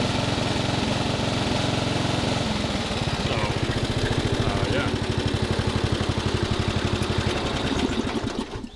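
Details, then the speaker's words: 1990s Craftsman 6-speed lawn tractor with Briggs engine: it runs steady, then hunts in a brr-brr rhythm about twice a second when revved, not coming up to RPM. Owner suspects an installed "quiet system" prevents it revving out; cause unclear. "I think what the quiet system does is when you rev it up and you hear that brr, brr, brr, brr, brr, brr, that is it not like allowing itself to rev out. A normal mower would be like, whoa, you know, come up to RPM."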